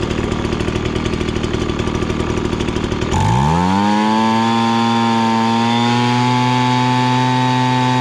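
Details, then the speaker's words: Ryobi BP42 backpack leaf blower that would bog and not rev, after about a half-turn carb adjustment set slightly rich: rough at first, then a clean climb to a steady high, even whine at full throttle. Normal full-throttle running. "you could hear it basically hit max rpm and then i just went a little bit farther to go a little on the rich side that way if you're running it just a tiny bit rich it helps keep the engine a little bit cooler"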